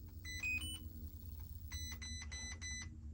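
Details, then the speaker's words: Radiolink Cool 9030 brushed ESC in an Element Enduro crawler with a 15-tooth pinion, calibrated by holding full throttle at power-on: short high beeps over a low motor hum, then three beeps confirming calibration. "3 beeps, and that's it. And it should be calibrated now."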